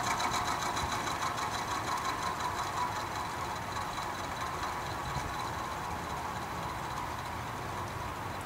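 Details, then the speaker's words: Vintage Penncrest (rebranded Lakewood) 20-inch 3-speed box fan on low/medium after motor drowned in WD-40: slightly quieter but fast diesel-like rattle about three knocks a second persists over motor hum; cause unknown, owner suspects worn bearings. "can see it's a bit quieter but it still sounds like a diesel engine and it's been doing that since the day i found it in the trash"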